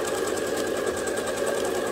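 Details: Free-motion quilting with a ruler foot and the foot pedal pressed all the way down for a consistent speed. Fast, even whirring chatter with a steady stitch rhythm and no knocks or labouring: normal, smooth free-motion sewing at a comfortable speed.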